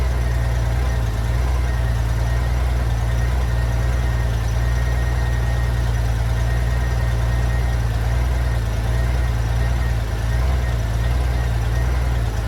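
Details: 1994 Honda GL1500 Goldwing Aspencade, first run in two and a half years after aftermarket fuel pump replacement, choke off: steady, even low idle with smooth beat, no misses, knocks or hunting; normal idle.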